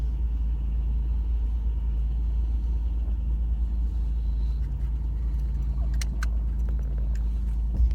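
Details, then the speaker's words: 1985-2005 Buick restarted after days sitting, fuel injection fuse reinstalled, battery charged: low steady rumble, a little clickety clackety, no knock; oil pressure now showing after long without it, check engine light on. "Look at that. Oil pressure. Let's go for a drive. A little bit of clickety clackety."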